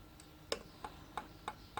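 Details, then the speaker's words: Suzuki DR200S engine, off cam on the compression stroke with both valves closed: light sharp clicks about every third of a second as each rocker is worked by hand; free play present on intake and exhaust, valve clearance is fine. "that's telling us we are off cam the rockers are away from the lobes on the camshafts are in the right position we're on the can pression stroke and both valves are completely closed"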